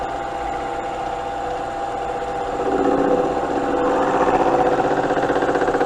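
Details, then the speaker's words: Smithy lathe/mill/drill combo, first pass on a 1¼-inch workpiece at about 600 RPM, possibly too slow: steady cutting hum, then about three seconds in a louder, rough mid-pitched ringing sets in and holds. Tool chatter during the cut, cause unknown. "in all right we started to get some chatter there couldn't tell you why"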